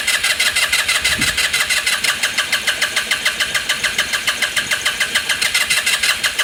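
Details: 2018 Lance Cali Classic 125cc scooter, cranking after more gas was added; even cranking about three pulses a second, no firing. Suspected fuel starvation; unchanged fuel filter to be checked.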